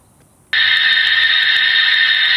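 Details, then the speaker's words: Slab leak pinpointing with a listening device and bar-graph gauge over a pressurised line under the slab: a steady, high-pitched hiss of escaping water that is louder toward one end, locating the leak there. "See how it comes down a little bit? So, it's easy to tell that the sound is louder on this end."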